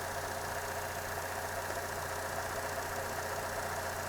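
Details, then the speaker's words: 2015 Chevy Cruze with P0171 and other codes, long-term fuel trim 30%: shaky uneven idle with steady sucking hiss at the PCV valve; covering it drops short-term trim to about -25, confirming vacuum leak from failed PCV valve. "All right, what we're gonna do is put our finger right over this PCV valve. You can actually hear the suction."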